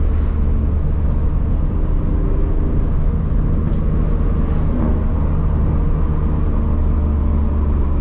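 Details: BMW E46 M52 with newly installed headers and no resonator, at higher rpm under load. Deep, raspy, droning exhaust with a small backfire pop; it runs fine but is too loud, and a resonator is to be added.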